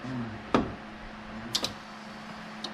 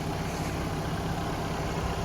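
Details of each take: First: 1987 Ford Ranger cranked after fitting a salvage-yard keyway: slow cranking clicks, then a loud, ragged, uneven run with popping. Timing is way off because the spark plug wires were connected in the wrong spots, giving a wrong firing order. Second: Low, even idle holding steady with no knocks or stumbles from a Ford Ranger warming up cold outdoors while snowing; normal, healthy idle.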